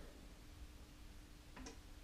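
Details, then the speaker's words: Mobility scooter after throttle pot replacement and centring: single sharp click over faint hum as the electromagnetic brake re-engages when the lever is released, normal brake clicking on and off. "it is important that when you press a lever you can hear the brake clicking on and off"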